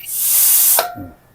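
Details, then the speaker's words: Hyundai Staria 8-speed automatic valve body after reinforcement repair for low-speed shudder, air pressure test on hydraulic line: sharp air hiss cuts off cleanly with short thunk, accumulator absorbing it, no lingering leak; valve body holding pressure. "아주 좋습니다. 기밀 유지를 잘해 주고 있어요."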